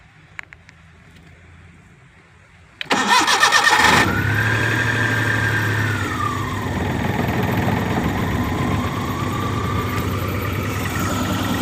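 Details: Maruti Omni with blinking check light and no start, fixed by programming the old key; quiet, then a short crank, catches at once and settles into a smooth, even idle with no misses; normal idle.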